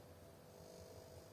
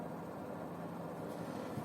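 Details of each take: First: Oven plugged into socket: clock blinks, programs won't start, no fan, relay or heating, only a faint steady mid-pitched buzz, much weaker than owner reported crackling; failing X2 suppression capacitor on control board. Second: Electric oven after replacing an undervalued X2 capacitor, set to 200 degrees: convection fan runs with a steady even low whirring hum, no rattles or scraping; fan working normally.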